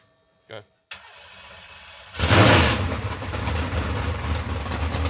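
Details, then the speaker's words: 632ci big-block Chevrolet V8 in a 2016 RPM Cheyenne jet boat, after JB Weld repair of water mixing into oil: short crank then steady, deep, even rumble with no knocks or misses; healthy, though alternator smoking. "boat sounds good motor sounds healthy"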